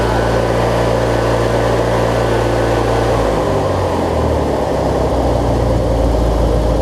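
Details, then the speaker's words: Briggs & Stratton opposed twin engine on a Craftsman rider, after replacing the 3-screw fuel pump and adding a missing fuel filter; it had been hard to start and not always getting gas to the carb. It now settles into a deep, even idle with no stumbling or surging. "Let's see if it starts back up for us. It started right back up on idle, so I mean..."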